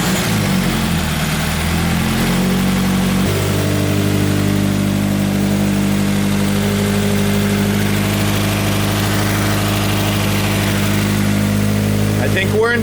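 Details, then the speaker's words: 2013 Subaru BRZ with a 2015 donor FA20 engine swapped in, new clutch friction disc and timing cover gaskets: smooth, steady idle after about 5 minutes with the cooling system bled, no misses or knocks; normal idle. "this boys we let the BRZ idle for about uh 5 minutes we bled the cooling system think she's uh good to go"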